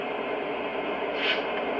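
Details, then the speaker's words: Lionel Conrail SW1 switcher's smoke unit running after return from Lionel warranty service, with smoke coming out: only a soft, steady airy hiss, with no buzzing, rattling or hum; quiet as a mouse, apparently fixed. "But it's quiet as a mouse. Beautiful."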